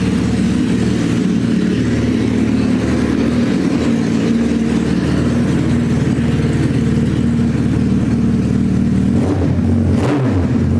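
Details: Suzuki Hayabusa GSX1300R inline-four after a wreck, two new main injectors fitted, no exhaust; loud raw unmuffled bark, even steady beat with clean blips, hitting on all cylinders; normal idle and revs.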